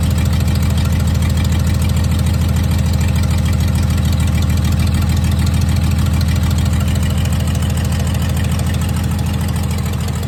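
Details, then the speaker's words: 1996 Dodge 2500 diesel, no turbo or exhaust manifold fitted after turbo failure, idles rough with heavy, lumpy clatter pulsing about three beats a second; owner suspects injection pump setup and oversized injectors, not confirmed. "it's definitely got I mean it's not real smooth especially right there but I think it might have something to do with the way the injection pump is set up and the injectors that it has in"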